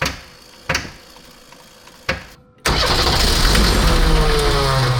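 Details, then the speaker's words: Unimog 404 with rebuilt OM617.912 diesel and rebuilt fuel pump, on weak batteries: slow cranking clunks, then it briefly catches into a rough loud rumble but won't run; owner suspects it isn't getting diesel. "Ja. Almost. Dat was even. Dat was hij even. Ja."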